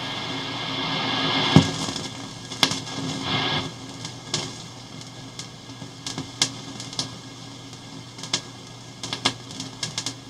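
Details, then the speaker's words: Hammarlund HQ-140-X tube receiver during restoration, switched from ABC to manual mode: irregular crackles and sizzling pops over hiss and hum, like sizzling bacon, easing when sensitivity is turned down; cause not yet identified. "listen to [Music] that sounds like sizzling bacon so if I turn the sensitivity down just a little bit you can see it kind of goes away"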